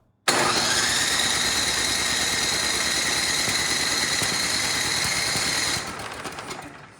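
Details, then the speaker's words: Troy-Bilt Storm 10030 snowblower, Tecumseh HMSK105 engine, long neglected, fast electric start: steady high starter whine with quick uneven chuffs, engine never catches, tried choke on and off and fuel valve; cranks but won't start, cause unconfirmed. "that is a fast electric start but we're not starting so let's open the choke and let's double check the fuel valve"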